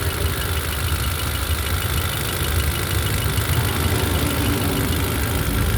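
Uneven idle with a low, lumpy beat that stumbles now and then instead of running smooth, like a cylinder dropping out.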